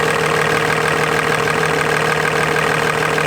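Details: Diesel truck, first startup with a newly installed compound turbo system, new turbo paint giving light smoke, not yet road-driven; steady, even clatter about three ticks a second. Normal idle.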